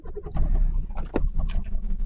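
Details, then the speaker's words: Mk1 Suzuki Wagon R+ sat untouched over a year, new battery fitted, first start attempt: starter turns engine over with scattered uneven firings that almost catch then die away; cranks and nearly starts. "all right let's go for start will it go oh she wants to go oh come on oh she wants to"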